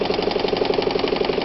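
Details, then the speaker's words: Probably early-1960s Japanese-made Calanda sewing machine built for Pfaff stores, high shank, left needle, manual zigzag, sewing forward and in reverse: quick, even, light ticking about twelve times a second, no knocks or grinding; very quiet, smooth, normal running. "Listen to this machine go. It is such a smooth, here's reverse, look at that. Smooth machine."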